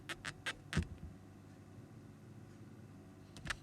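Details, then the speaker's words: AMD stock CPU cooler on an MSI motherboard after switching the fan profile to silent (which reduces performance): microphone held up to the cooler picks up only a very faint steady low hum, no whine, plus a few handling knocks. "yeah it doesn't look like it's hearing anything so that's always a good thing"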